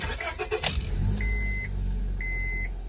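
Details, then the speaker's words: Normal running after a cracked exhaust manifold was welded and reinstalled following a cylinder head rebuild: door and key noises, low steady engine run with two chime beeps; the former loud exhaust-leak ticking is gone. Car also had code P0401. "Oh yeah, she sounds good. So yeah, the leak's pretty much gone. No more ticking."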